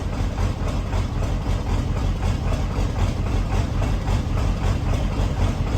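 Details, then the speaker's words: 1994.5–97 Ford 7.3 Powerstroke diesel, over 300k miles, first start at 62°F right after injection pressure regulator replacement. Deep idle loping about two uneven pulses a second from air in the high-pressure oil system, then smoothing out. "there's just air in the system we'll get worked out there we go much better"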